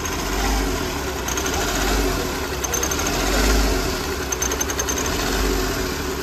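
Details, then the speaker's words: Hyundai Grand i10 diesel at idle, no fault codes: uneven idle with irregular stumbles and hunting as firing intermittently drops out; mechanic suspects a faulty injector causing the misfire. "Idol ने पता है कभी firing रुक जा रही है कभी firing दे रही है इसी वजह से ककड़ कड़कड़ रहा है ना तो यह आइडल में कभी फायरिंग दे रहा है कभी रुक जा रहा है"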